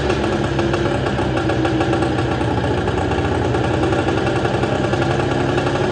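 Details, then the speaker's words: Arctic Cat JAG 3000 snowmobile, free and abandoned, just started after sitting: two-stroke idling unevenly with loose metallic clanking, dying at times from likely bad carb gas; owner suspects a stuck hex primary clutch that revved but wouldn't engage; clanking faded after a minute. "But the clanking noise, I think that's coming from our dreaded hex clutch. Our clutch was a little bit stuck."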